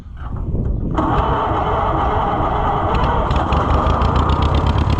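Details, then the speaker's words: Neglected Allis Chalmers Model C tractor being cranked, good oil pressure, points questionable: pops, then catches roughly and runs unevenly a few seconds before failing; owner believes poor fuel supply is the problem. "Well, it should at least pop on that. There we go. Almost."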